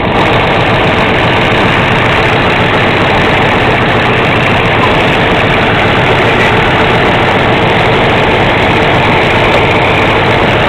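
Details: 1970 Camaro 350 rebuilt toward LT1 spec, 10.25:1 forged pistons, LT1 aluminum intake, 4555 carburetor, new engine run in its subframe: steady even burble, no knocks or misses, clean shutoff. Normal warm idle.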